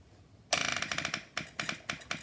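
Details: Supercharged postie bike with a newly fitted fuel pump for the nitrous setup: fast ticking at switch-on slows to sharp separate clicks a few times a second as the pump fills; normal priming.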